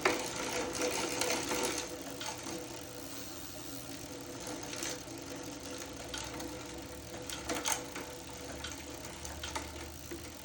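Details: Zwift Hub trainer running: a steady whirr with a rough grinding edge and uneven clicks about three per second from inside the unit.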